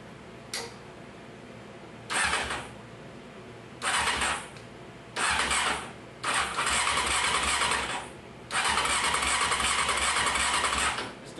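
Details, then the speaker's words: 1995 Honda CBR F3 (CBR600F3) motorcycle cranked with the number four cylinder spark plug removed; several short cranking bursts with a lopsided beat, sounding like a compression issue until the missing plug is accounted for. "sound right it sounds like we got compression issue over the cylinders never mind we had a we had number four cylinder um with the plug out"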